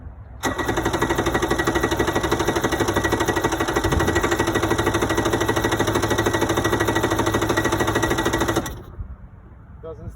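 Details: 1992 Yamaha WaveRunner two-stroke, not run in years, on battery cables: steady fast starter churn about eight seconds, never catches; no spark because the kill switch isn't fully released.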